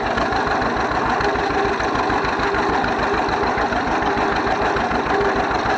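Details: 1931 John Deere GP two-cylinder tractor after its troublesome carburetor was taken apart and repaired: a slow, even putt-putt idle with a steady beat and no misses or knocks; it runs well and smokes a little.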